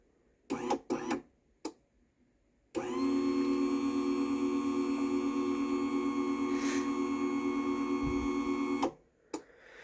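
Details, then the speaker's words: Cheapest Genie garage door opener running: smooth even motor hum at constant pitch, no grinding or clicking; much quieter than the higher-end Chamberlain DC motor opener. "Listen to how much quieter this one is. That is much quieter than the Chamberlain is."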